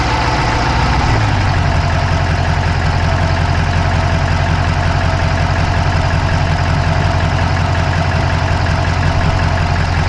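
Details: Dodge Charger Hemi V8 at idle, mic inside the passenger-side engine bay (Insta360 Go3): a quick, even fast clicking over a steady idle, source not yet found.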